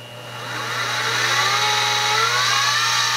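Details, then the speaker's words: X2 mini mill (CX605) with standard gearing: a gear-mesh whine, quiet at low spindle speed, rises in pitch and loudness as rpm increases, like a loud sewing machine. "now the mini mill on low rpm this is just with the standard gearing so spinning really slowly it's fairly quiet as you increase it it gets a little louder but still not insane"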